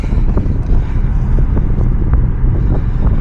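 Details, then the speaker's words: 2013 Jeep Patriot 2.4L, code P0302, check engine light and rough running on a test drive: uneven, lumpy engine drone with irregular thumps, a hard, constant dead misfire on cylinder 2 rather than an intermittent sputter; ignition coil very likely suspected. "Yeah, it feels like we got dead misfire on number two. So, that that very likely could be an ignition coil. A lot of times on ignition coils, they'll kind of sputter intermittently, but this one is just misfiring all the time."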